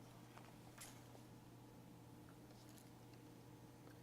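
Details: GVM 48-inch budget camera slider motor at 100% speed after loosening the belt about 2mm to fix vibration: only a faint steady low hum, no rattle or buzzing; running smooth and quiet.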